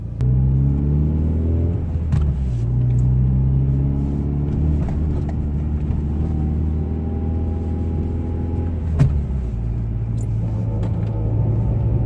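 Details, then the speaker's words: JDM-imported Mitsubishi Lancer Evo 6, ABS light on with a wheel speed sensor code: when pulling away a thin, steady whine rises above the engine, then the AYC light comes on. Pump whine; the garage suggests an ABS fault may trigger AYC, cause unconfirmed. "So you start the car up, no AYC light on, you start driving a little bit, it sounds like the pump starts having a bit of a paddy, whining, then the light comes on and it goes."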